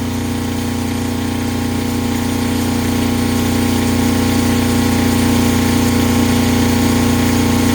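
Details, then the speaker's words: Kubota GL 7000 diesel generator after further governor adjustment, about 61 Hz under about 1.7 load: steady firm, even hum, no hunting or surging; holding correct speed under load. "okay so I tweaked it just a little bit more and I got to about 61 Herz which I think is good for a running State"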